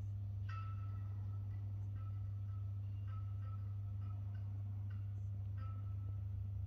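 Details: First-level stairwell light in an apartment building, recorded with a GoPro: constant low mains buzz with a short ping roughly once a second as it flickers; buzzing flickering fixture, cause unclear.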